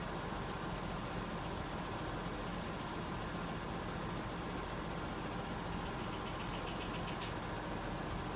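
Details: Nissan Laurel RB20E after 5 minutes of warm-up: steady idle with a faint, fast, light ticking above the hum; hydraulic lifter tapping.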